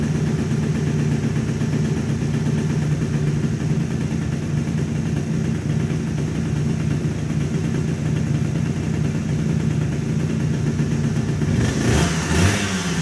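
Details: Two-stroke scooter with MVT Millennium ignition, after a tired stator caused misfiring and no-start on the road; after insulating and cleaning it starts and settles into a steady, even buzzing idle with no stutter or cut-outs; ignition running cleanly.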